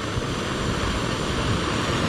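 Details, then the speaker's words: Oxy-acetylene torch lit the way the operator was taught: acetylene turned up until no smoke, before the oxygen is added. It gives a steady soft roar with no popping or sputter, a normal acetylene flame. "okay striking the striking of lighting the torch the way I was taught to do it and just turn your gas up and tell you don't get any smoke"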